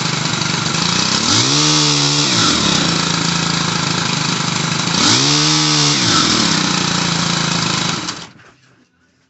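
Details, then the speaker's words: Stihl HL100 pole saw after a carburetor and fuel line replacement, warmed up: small two-stroke buzzes steadily with two quick throttle blips that rise and fall cleanly, then cuts out; runs fine with a slightly high idle. "but now it seems to be running fine idling a little high"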